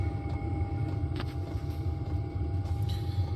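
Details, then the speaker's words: Diesel parking heater newly installed in a shop, running on lowest setting, heard at the exhaust outside: steady low rumble with a faint constant tone above it, even and unbroken; heater running normally. "I've got it on the lowest setting right now, and if we go out back, you can hear the exhaust."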